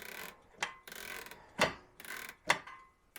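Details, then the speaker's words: Jaguar XJ12 V12 with low-speed hesitation, engine off and throttle moved in the workshop: sharp light ticks roughly once a second as the injectors pulse for start enrichment, working normally. Fuel pressure is slightly low. "so that is extra enrichment while i fire it up so it's gonna probably be a little bit flooded right now"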